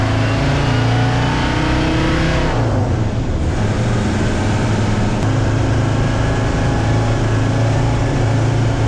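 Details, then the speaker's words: 1965 Unimog 404 diesel with a newly replaced gearbox, road test. Steady low diesel drone rises and falls smoothly and evenly through the gear changes, with no clunks or whine. It drives and shifts well. Normal driving. "It drives good, it shifts good, so yeah, let's go for a test run."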